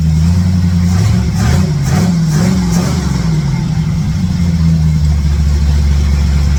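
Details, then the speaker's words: Old truck V8 with ball-seat headers, after exhaust-leak repair and refitting all plug wires: deep, even burble rising with light revs, no ticking or puffing at the headers; all eight cylinders firing, some residue burning off, no major exhaust leaks. "it doesn't sound too bad uh I don't know it's burning some stuff off just for my hands touching it and stuff but uh sounds like it's got all eight cylinders"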